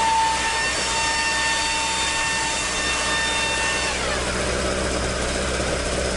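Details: Toyota AE86 with 4A-G engine after exhaust leak repair, stock exhaust: smooth revving that drops cleanly back toward idle, with an even note and no leak puffing or ticking. Normal exhaust note.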